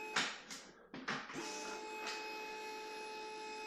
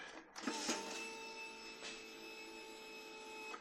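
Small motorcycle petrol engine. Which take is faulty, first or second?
first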